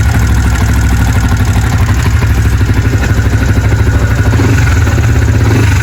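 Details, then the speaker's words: Sniper 150 with an aftermarket camshaft, idling after the stock cam chain tensioner was replaced by a Pitsbike manual tensioner: an even idle with a light quick tick per beat; cam chain ticking reduced but not gone. "So bali nabawasan konti yung ingay. Okay, malaking tulong pala yung manual tensioner pag naka aftermarket tayo na camshaft. Nawala talaga konti yung ingay, yung pitik-pitik."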